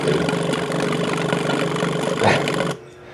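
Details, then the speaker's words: 2002 Yamaha R6 that sat 4+ years, carb cleaner sprayed in: steady starter whirr with uneven churning beats, no catch before it stops; owner says there's no fuel pressure. Cause suspected, not confirmed. "this initial pulse it's trying to find Pola but it can't because there's no pressure so it's just shutting down"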